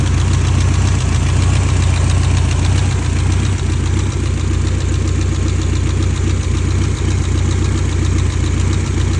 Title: 1989 BMW E30 M3 | S14 Engine Misfire?